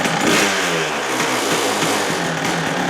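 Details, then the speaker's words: Kawasaki KDX220 two-stroke trail bike, smoking quite a bit: muted crackle rising and falling smoothly with throttle, no rattles or misses; very quiet, healthy stock exhaust. "So once you get the carb tuned properly, this thing runs really good. As far as noise, this is about the quietest two-stroke you can get."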